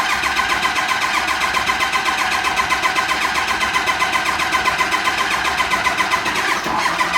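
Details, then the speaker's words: Ford Lariat LE crew cab dually truck, 216,000 miles, full fuel tank, needs two batteries to start in the cold; cranked off a hot jump pack with an even, unhurried starter churn that never catches; owner thinks it just needs juice. "A truck that needs 2 batteries to start in the cold, it's pretty amazing that this thing can crank it even for just what it just did."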